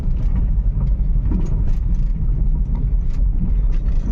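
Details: Volkswagen Polo/Vento, after repair: steady, even drone under road rumble at speed with no stumble or jerk; previously misfired at 50–80 km/h with engine and EPC lights and code P030100 cylinder 1 misfire, now running cleanly with no lights.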